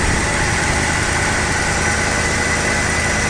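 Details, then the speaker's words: 1988 Dodge Ram D150 pickup idling, fuel filter recently replaced; smooth, even petrol idle with steady low hum and no knocks or ticks, a quiet engine; normal idle. "c'est un moteur assez discret, hein, fait pas beaucoup de bruit."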